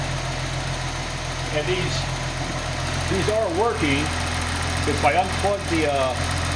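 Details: Engine on first test of DIY EFI harness with 280ZXT ECU, crank angle sensor now connected after earlier misfires: started after fuel pump priming, steady even low hum, no knocks or misses; runs healthy.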